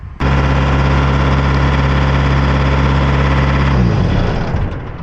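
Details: Thermo King Precedent S600/S700 reefer diesel on a pre-trip run after EGR valve replacement for shutdown code 618; it had been faulting out immediately. It catches at once and settles into a steady, even low drone without hunting; normal running.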